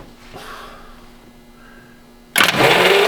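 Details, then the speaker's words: Car engine, still with oil and coolant, starter turned by kicking in the solenoid: brief pause, then the engine spins over briskly and evenly with no binding; cranks freely, not seized. "Yeah. Turns over fine. Turns over, buddy. Yeah. She'll run."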